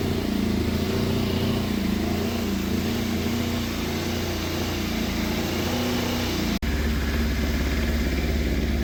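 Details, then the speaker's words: Yamaha FZ750 four-cylinder, fire-damaged, 41,000 miles, after correcting throttle cables and idle screw, started with jump pack: uneven, lumpy idle with wavering revs; rough running though all four cylinders fire, judged by temperature. "but it is starting first time every time, and it's running on all 4 cylinders, or at least from the temperature, it is firing on all 4 cylinders because it's running, but it does not sound happy."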